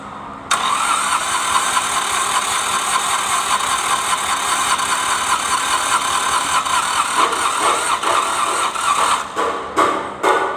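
Starter cranks the diesel for several seconds with a rough, uneven rhythm that never fully settles; it is struggling to start.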